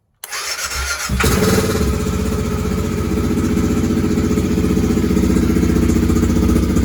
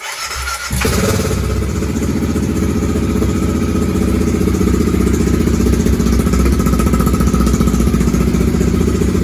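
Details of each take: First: BMW F650 GS single, previously bucking and stalling at high speed, after a fuel tank clean, new pump strainer, new inline fuel filter, G650GS Sertao injector and TPS reset: cranks briefly, catches and settles into a steady, even thump; normal start and idle without stalling. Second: BMW F650 GS single-cylinder after fuel tank clean, new pump strainer, inline fuel filter and injector, battery charged overnight: catches and thumps unevenly about nine seconds then dies; still stalling after start.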